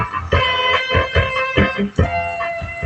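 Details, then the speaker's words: Fanny AV888A amplifier with speakers connected: music harsh and crackly with gritty buzz on every note, pops at power-up; distorted output. "ยังไม่มีเสียงเป็นเสียงแตก"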